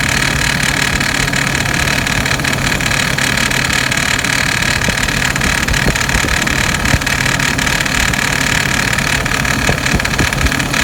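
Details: 2006 Hummer H3 at steady idle after serpentine belt replacement: busy, irregular metallic rattle from the front of the engine; cause unknown.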